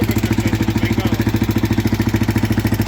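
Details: Used Husqvarna SM610 supermoto single idling, before purchase: hard, regular knock at about 207 per minute; knocking engine, cause not yet found.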